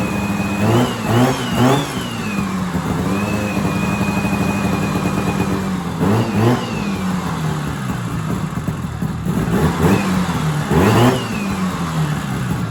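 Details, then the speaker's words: Vintage 1970s Sno-Pony snowmobile with a 340 twin-cylinder two-stroke, revived after sitting 20–30 years in a shed; crisp blips rising and falling, steady idle between revs, picks up cleanly, sounds like a crotch rocket; normal two-stroke revving. "Thing sounds like a crotch rocket."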